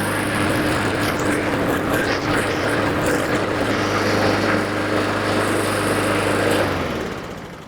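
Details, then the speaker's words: Honda 21-inch walk-behind self-propelled mower, after a fix for running about 30 seconds then popping and dying (parts used include an NGK BPR5ES spark plug); the single-cylinder engine holds an even, steady drone without stumbling, then winds down at shutoff; normal running. "I'll go into the shop, I'll do some other work while letting this run, just to make absolutely sure that it's resolved. And so far, it looks like everything's good."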